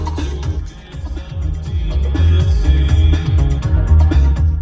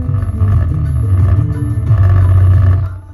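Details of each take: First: Mazda 3 Bose front door speakers after repair with adhesive, music with bass at normal level, balance set to right then left: clean full playback with no buzzing, rattling or breakup; the speakers work properly. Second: Mazda 3 Bose front door speakers, bass turned up: deep bass notes come with a buzzy, loose rattle on each low hit from the right speaker, which is blown. The left one also sounds poor.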